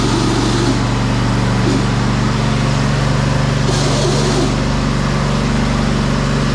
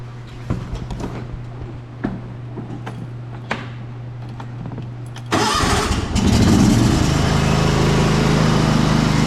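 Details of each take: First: John Deere LT190 riding mower, deck down: steady engine under harsh metal-on-metal scraping flaring every couple of seconds; stripped transmission input pulley spline on shaft, often mistaken for stuck brake; fixed by replacing pulley. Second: John Deere LT190 riding mower after replacing the transmission pulley that caused squealing and poor drive: engine starts after a few clicks and runs steady and even, no drive squeal; drives forward and reverse fine.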